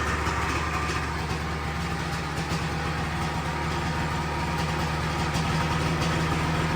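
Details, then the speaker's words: 1997 Sea-Doo XP 800 two-stroke, sat for years, carbs rebuilt from fully disassembled, after adjustment: steady, even burble at constant speed with no misses, no big white smoke; idling close to normal. "That was much closer to running normal."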